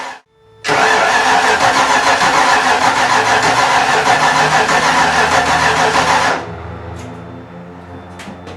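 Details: 5.0-litre V8 swapped Miata, first start with fuel pump on: long, loud churning crank with ragged firing about three beats a second, never settling to idle; misfiring from distributor timing one tooth out.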